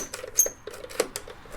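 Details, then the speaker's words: Hammond M101 organ, unplayed for about 10 years: short scratchy squeaks and clicks as drawbars are slid, from dry, dirty slider tracks; contact cleaner recommended for the sliders. "This is highly recommended for these sliders can hear the squeak"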